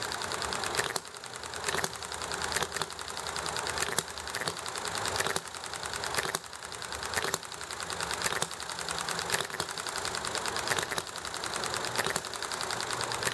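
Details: Enjomor model engine running well: crisp single firing pops roughly once a second, evenly spaced with quiet coasting between, over background hiss from highway and alley traffic plus chatting; normal hit-and-miss running.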